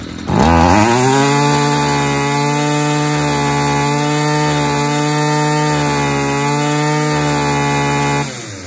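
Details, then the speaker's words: Stihl FS 55 two-stroke trimmer after removing an oil-soaked air filter: fairly steady buzz with a wavering, burbly edge and heavy smoke; running rich because the fuel mix has too much oil. "i mean just look at the plumage of smoke coming out there that oil is so rich or that gas mix is so rich with oil so"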